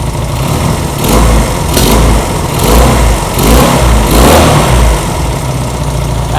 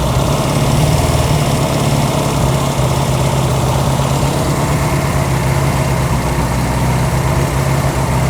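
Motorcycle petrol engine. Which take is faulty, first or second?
second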